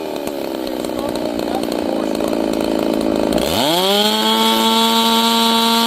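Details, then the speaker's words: Warmed-up chainsaw at full throttle burbles and four-strokes from a rich high-speed mixture, then dips and climbs to a clean, steady high scream as the high-speed jet is leaned, after the low jet was set. "I leaned it out until it had no stroke, no force stroking at all. Just a clean high RPM."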